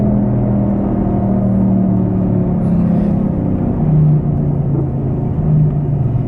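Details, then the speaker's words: Front driver-side wheel bearing on a Saturn Ion, car driven at about 80 km/h (about 50 mph): loud, steady low droning rumble, heavier than normal tyre roar, long mistaken for bad tyres. Bad wheel bearing growl, confirmed by jacking up and spinning the wheel. "In case you're wondering, I always thought it was just my tires were bad, but here we go. It's quite loud."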